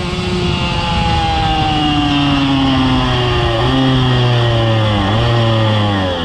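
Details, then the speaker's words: 2000 Suzuki RM125 two-stroke, first ride after cleaning, under load in first and second gear: revs rise and fall unevenly with a ragged spitting note and bogging instead of a clean pull; clears in third; clutch may be slipping. Cause unclear. "and then second gear will kind of open up a little bit and then third and there's open but first and second they're they're sputtering"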